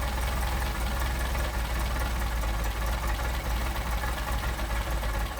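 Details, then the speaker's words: Mercedes 190SL Solex carburetor, idle mixture screw turned in: low idle goes rough and uneven, dipping as if about to stall; too lean. "If I screw it in, how the engine stumbles, you can hear it."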